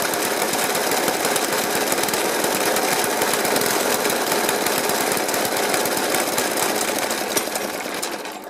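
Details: 1991-era Suffolk Punch 30S mower after carb clean and decoke: single-cylinder idle fires fast and uneven with harsh irregular bangs instead of a smooth tick-over; cause unknown.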